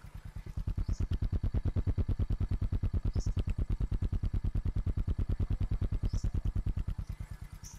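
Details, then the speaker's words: 2011 Suzuki FX single (kick-start only) at idle after engine service, steady even exhaust thump about three beats a second, no clutch or knocking clatter; runs smooth, original engine. "máy không có gì bàn anh em chỉ nghe tiếng bét tạch tạch chứ tiếng nồi chả cọc cọc tiế bô nổ bịch bịch"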